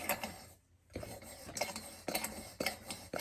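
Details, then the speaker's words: Coleman lantern pump after the owner oiled and soaked the pump cup: sharp regular squeaky clicks about twice a second as the plunger strokes, pump now sealing and pressurizing the tank normally, though a leak is heard. "I took this off, put some oil, let it soak in the pump cap. Now it pumps."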